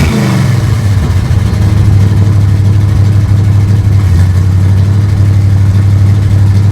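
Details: 1955 Chevrolet two-door station wagon V8 with a newly installed custom exhaust built from mixed parts, dumping before the rear axle: deep, steady low burble with an even beat, no ticks, knocks or exhaust puffing; runs smooth and healthy.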